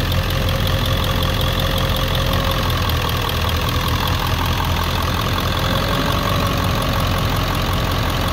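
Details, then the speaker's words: 1999 Ford 7.3L Powerstroke diesel pickup logging P1280 at startup, ICP sensor unplugged: steady idle with a slightly hunting clatter as the PCM holds about 750 rpm using the IPR valve alone; service engine soon light comes on. "you can see that it's it's went back in the 750 that's what the PCM just wants to and it's trying to control the RPM with just using the IPR and doing its best that it can"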